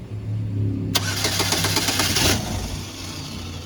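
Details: 2011 Chevrolet Malibu that shut down at a stop sign and then wouldn't crank; after key programming the starter spins the engine in steady rapid beats for about 1.5 seconds, then drops off without catching. Cranks but no start.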